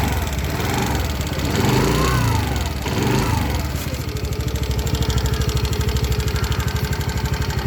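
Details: New 2024 TVS Jupiter 110 E20 scooter: uneven revving then fast steady putter with loud mechanical chatter, noisier than the previous vehicle; excessive engine noise, cause unclear.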